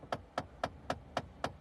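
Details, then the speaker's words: Car blend door actuator clicking behind the dash when adjusting A/C: sharp, even plastic knocks about four per second as worn gears turn freely and slip. "Oiga oiga como que alguien da con un lapicero así ve o con un con algo véalo de nuevo"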